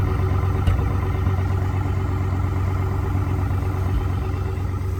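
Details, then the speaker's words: 1971 International Scout, IHC 345 with Holley Sniper fuel injection, just started cold, heard near the exhaust: steady, even raised idle with a smooth low rumble and no knocks or misses. Normal cold fast idle. "But so it's still on its fast idle since we just started it up, but hopefully you guys can hear"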